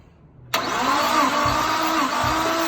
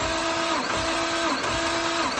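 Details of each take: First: Nissan R33 RB25DET Neo during a compression test: the cranking rhythm is steady but one stroke per cycle sounds lighter, about every 0.6 s. Cylinder 3 read only about 80–90, low; the owners suspect the timing could be off among other causes. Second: Nissan R33 RB25DET Neo during a compression test at full throttle: the starter whirrs in even beats about every 0.7 s. Cylinder 2 read about 115–120, acceptable (over 100). The owners suspect bent valves or a bent rod on cylinders 1, 3 or 6.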